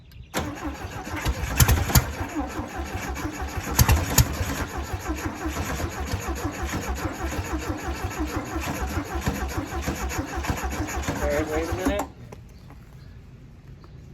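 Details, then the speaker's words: 1968 VW Beetle air-cooled engine, sitting 35 years, restart attempts: starter grinds, catches briefly and runs ragged several seconds, then quits abruptly; owners suspect the carburettor is gummed up inside from sitting, not confirmed. "We did have it running though. So that counts. This carburetor's probably all gummed up inside. It's all them years of it sitting."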